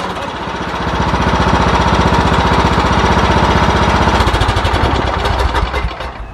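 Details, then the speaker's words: Mower after winter storage, jumped from another battery for a suspected dead battery: brief crank, then catches into a fast, even single-cylinder thump with no misses; starts right up, normal. "can hear that cranked in' started right up so I put it up good in the winter"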